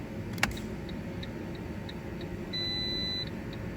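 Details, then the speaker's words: Fiat Punto, ignition on after cleaning contacts: clear high steady beep under a second over faint regular flasher ticking, an airbag failure warning because the airbag is disconnected. "airbag failure obviously as airbag is there disc connected but yeah I'm happy with that"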